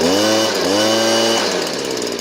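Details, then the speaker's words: Stihl BG56C 27cc two-stroke leaf blower, during low-speed carburetor screw adjustment. It was boggy with the idle dropping when the screw was turned fully left, then runs smoothly with a high, steady buzz after about a half-turn correction. "Okay, that means we need to adjust, and it's only about a half a turn. See the difference? It's only a half a turn from running crappy and running perfect."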